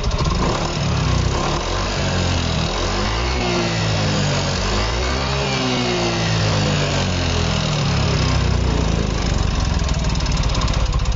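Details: Yamaha Fino 125 scooter engine revved: harsh, rough mechanical clatter grows louder as RPM rises, won't hold idle and stalls when throttle released, no smoke; cause was too-tight valve clearance, fixed without engine teardown.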